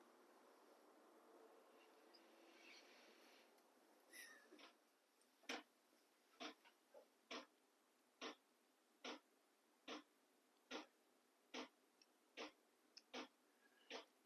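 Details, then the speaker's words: Battery-powered 12V diesel heater starting up in an insulated cargo-container workshop, set at H2: quiet fan hum, then a crisp single tick about every 0.8 seconds from the fuel dosing pump pulsing normally. "clicking noise is the pump and right now I've got it set on um hopefully this shows up in the video but I've got it set at H2"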